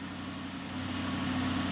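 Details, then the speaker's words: BMW X6 M with N63 engine, codes cleared: steady, even idle with smooth low hum, no misfire, stumble or ticking; normal idle, no codes. "when I switched them fired it up and it was fine and now it's fine again it runs great look at that"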